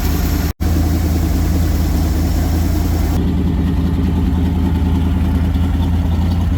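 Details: 1974 Lund Tempest II GT jet boat V8, newly bought and finicky to start. Steady, even low rumble with no knocks or misses; it settles into a smooth, healthy idle.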